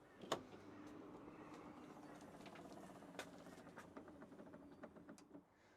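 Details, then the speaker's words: Used 2020 Tesla Model X (about four years old), clicking from the tailgate/boot, thought to be on the left side, as it opens: steady motor hum with sharp irregular clicks about every half second; owner suspects a creaking strut, no effect on operation yet. "I think it's a problem with this strut here um that we're getting and it's just making a bit of a creaking noise."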